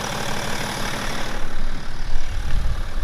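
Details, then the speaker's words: BMW E61 530xd M57 diesel, about 400,000 km, cold start after one injector replaced, oil and coolant checked: steady low even clatter, no knocks or misses; normal cold idle. "The engine runs pretty smooth for cold start. And when it gets hotter, it runs even smoother and quieter."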